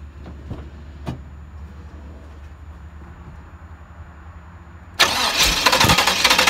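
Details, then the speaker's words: 1992 Trans Am after sitting about a year and a half, fuel reaching rail; five seconds of faint low rumble with clicks during long crank, then abrupt catch into loud rough run, unburned fuel from cranking; sounds good. "unburned fuel in there from a head cranking but sounds good still it's been quite a long time since it ran"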